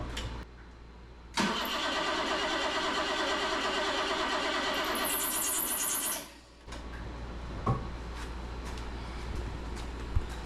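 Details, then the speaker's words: 1977 BMW 530i with fuel injection, sitting 7 years with a quarter tank; about five seconds of steady cranking at roughly three turns a second, never catches; no fuel pump heard, spark unchecked; crank no start. "uh we still don't know if we have spark but I don't hear a fuel I don't hear the fuel pump"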